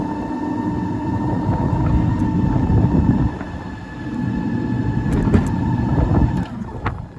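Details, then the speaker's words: Chas twin-motor Sinclair C5 electric trike driving on road over speed humps, second motor engaged and noticeably quicker: steady electric whine over rough road rumble and bumps, both motors pulling smoothly; healthy. "Now it's absolutely noticeably quicker when you run the second. Very nice."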